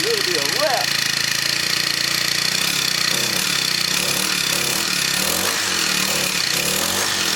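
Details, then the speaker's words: Scrapped Craftsman four-stroke weed eater: fast, even buzzing exhaust note with no misses or knocks at steady speed; running cleanly, still needs a pull cord assembly. "good one it runs so this one runs and blower don't"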